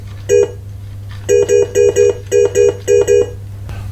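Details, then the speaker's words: Pinball machine opto switch with no moving parts: a screwdriver breaks the invisible light beam between the two sensors and the machine chimes, repeating quick paired tones each time; switch registering normally. "Instead, there's an invisible beam of light that gets broken when the ball passes between the two sensors, as this screwdriver shows here. You can hear the switch being registered."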